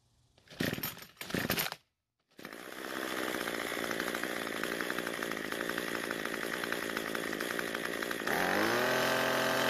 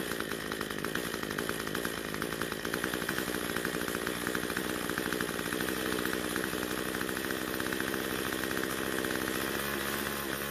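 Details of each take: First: Cub Cadet two-stroke trimmer that ran at full throttle but died at idle, after turning the L (low-speed) carburetor screw about a quarter turn counterclockwise for a lean mixture: starts, idles steadily, then revs smoothly when throttled, normal idle and throttle response. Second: Cub Cadet two-stroke trimmer on ethanol-free fuel runs at full throttle but idles unevenly, wavers and dies: lean low-speed mixture starving it of fuel.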